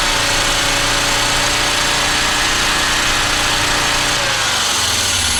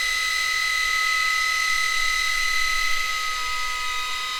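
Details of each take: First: Audi 2.2 Bosch K-Jetronic with screwdriver propping the metering unit sensor plate open: engine runs fast and loud at a steady high rev, usually about 3000 rpm plus, no settling to idle, then winds down. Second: Audi 2.2 Bosch K-Jetronic, five new old-stock Bosch injectors tested by raising sensor plate idle, half, full throttle and back: steady hiss with high whistling tones shifting down as flow changes; identical spray in all five, healthy.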